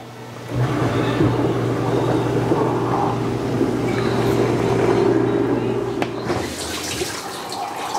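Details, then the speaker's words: Dishwasher that was not spraying water, run on normal wash: steady low motor hum with water swishing and spraying in the tub; wash pump circulating normally, ruling out a clogged spray arm. "so there's once there's water inside your your dishwasher it's gonna start pumping it's gonna sense there's water in there"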